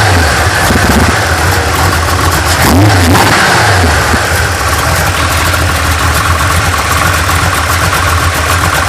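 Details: 1980 GMC Sierra C15 with junkyard L31 Vortec 350 (9.5:1), Summit K1107 .488/.510 lift cam, Performer RPM intake, 600 Holley, Flowtech headers, Thrush mufflers; cold start, uneven loping idle, irregular chuffing near four per second, brief rev blip, mic clipping; lumpy idle from high-lift cam.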